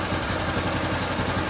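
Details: Harbor Freight Predator 212cc single-cylinder on a DB30 doodlebug kart, just fitted with a new carburetor after it would not idle and cut out at full throttle; it now settles into a steady, even idle with no hunting or surging.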